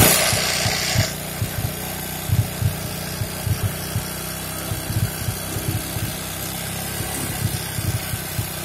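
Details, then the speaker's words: Honda Supra X 125 motorcycle that ran out of engine oil: soft at steady idle but rough, uneven with irregular knocks once revved; suspected rocker arm (kampret) fault or loose valve clearance, to be checked by disassembly. "Untuk bunyinya cukup kasar. Kalau gas stasioner itu bunyinya lembut. Kalau sekali digas bunyinya kasar."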